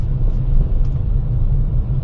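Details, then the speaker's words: VinFast VF3 driving after the knocking front joints were greased (rack and pinion replaced twice without cure; joints were dry): only smooth low road rumble, no knocks or clunks; steering quiet. "Ganda na wala ng iingay. Yun lang pala greas lang."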